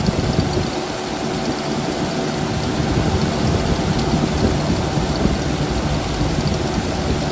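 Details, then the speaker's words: 1979 Jeep CJ5, sitting since 2019, running on fresh gas fed straight to the mechanical pump: an uneven, lumpy low idle that never settles; the carburetor is leaking fuel and sucking air and needs a rebuild kit. "I think we're fighting a carburetor here so I need to get a rebuild build kit for this but it's obviously sucking air and leaking fuel"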